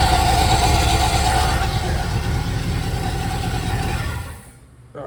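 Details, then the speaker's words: 1983 Caprice or 1980 Corvette: harsh scraping rasp over idle until shutdown after fitting remanufactured alternator (old one tested bad); new alternator contacting adjacent part, fixed by dropping belt and refitting. "see what that noise was making contact that thing right there gosh darn it ah why didn't I see that"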